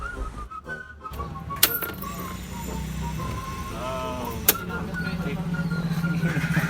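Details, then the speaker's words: Yamaha Aerox scooter that won't start, with a new fuel pump IC wired in and bench-tested before reinstalling in the tank; steady low hum near 180 Hz with a faint high whine, even and unbroken, so the fuel pump runs normally. "Testing tayo habang hindi pa nakasalpak sa loob ng tangke. Pakinggan natin."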